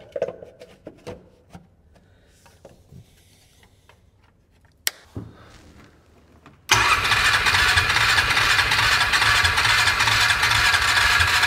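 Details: 2002 6x6 after a new air filter and a spray of starting fluid in the intake. Steady, fast cranking runs on without ever catching: no-start from low compression.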